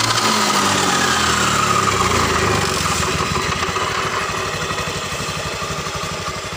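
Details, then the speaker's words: Bitpop scooter starts and idles with a rough, scratchy ngorok rasp from the CVT case area; the final-drive bearings were running dry because the gear oil had run out. "Perhatikan, suaranya kasar banget di sini. Ini diperkirakan kahler-kahlernya yang kena. Suaranya ngorok."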